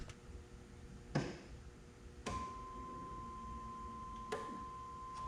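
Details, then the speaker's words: 1989 Pontiac Firebird, newly replaced fuel pump, first test with fuel rail line run into a jug: a few relay clicks, then a steady, quiet high-pitched hum holding even; normal fuel pump priming, rusty fuel coming out. "Okay, well, I can hear the fuel pump kicking on. All right, I can hear the fuel pump, and I think I saw it filling up in here."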